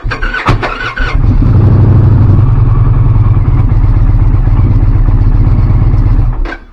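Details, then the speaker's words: 2024 Indian Pursuit after replacing the binding torque limiting gear (hard-start fix), exhaust refitted, shields off, in neutral: starter spins briefly, engine catches at once and settles into a steady loping twin idle; clean normal start. "That should sound a lot better."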